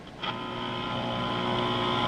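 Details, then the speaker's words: 1942 Emerson FU427 "Brandon" AC/battery portable tube radio brought up to 120 volts on power-up: steady hiss with faint hum from speaker as set warms; later plays distorted at high volume, suspected bad coupling capacitor. "all right i'm up to 120 volts and as you can hear there's noise from the speaker"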